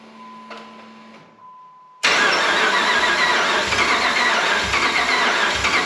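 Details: 2005 Dodge Ram 1500 4x4 with a swapped donor Hemi V8 and new fuel pump, only 5 gallons of fresh gas over old fuel that smells bad: starter cranks steadily but it never fires; fuel line clearance unchecked.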